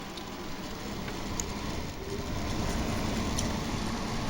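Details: GE 5050 BTU window air conditioner made May 2018 (R410A, 9.17 oz), installed, fan on low: quiet, soft, even hum and airflow rush with no knocks or squeals. The fan runs normally on low.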